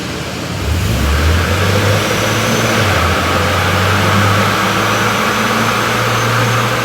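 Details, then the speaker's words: Toyota N70 Hilux just fitted with Raptor supercharger kit and new fuel pump, warming up on factory ECU base tune before retuning: engine revs and holds a smooth steady drone with faint blower whine; runs clean. "all righty so we got the high on the Don Josh is finished it all off we can hear the supercharg running"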